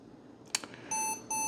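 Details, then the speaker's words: Odd Japanese auction computer, after being left on with a warm processor, replugged and powered on: silence at first, then a click and two short, even, mid-pitched beeps; a changed POST beep pattern, cause not yet clear. "Okay, there it goes. Hey, that definitely sounded different."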